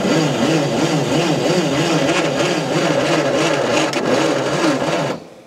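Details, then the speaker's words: Allis-Chalmers FB20-24 2,000 lb propane forklift, about 30°F, weak battery, new plugs and wires, freed engine, spark unconfirmed: starter churns about three beats a second for five seconds, engine never fires. "let's crank it up and see what happens see if anything happens oh my battery's getting dead"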